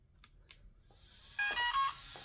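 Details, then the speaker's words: 1/14 RLAARLO/CROBOLL monster truck converted to brushless with Hobbypower 3650 12T 3300KV motor, now on 3S: quick run of rising louder ESC chirps at switch-on, then faint idle hum; normal ESC arming. "It's a lot louder. You can you can hear those chirps. This is on 3S."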